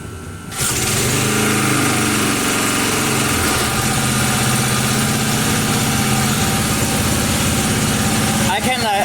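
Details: 1980 power tiller with Briggs and Stratton engine, restart slightly warm after a couple minutes running, no choke, half throttle: catches and settles into steady, even single-cylinder putter, no misses or surging; runs fine after repair.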